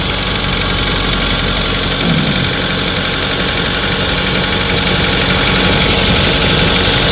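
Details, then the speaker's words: 2005 Pontiac Vibe (Corolla/Matrix engine) at idle: fast steady ticking chatter that mimics valve train noise, actually from the worn belt tensioner pulley, possibly its bearing; tensioner to be replaced. "now I know what you're thinking that sounds like valve train noise it's actually the tensioner pulley you can see"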